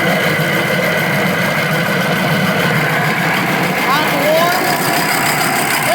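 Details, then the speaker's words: Used cheap air compressor with replacement motor, running: loud, steady harsh metallic grinding from the pump, motor slowing down as pressure passes about 40; metal-on-metal rubbing inside. "really big metal grinding sound here I me there's a really big metal grinding sound in"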